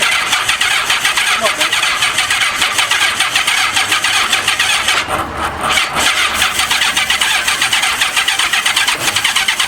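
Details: 1985 Honda Gold Wing 1200, sat five years: long steady starter cranking with an even churning beat that never catches; no spark seen, owner unsure the electric fuel pumps work.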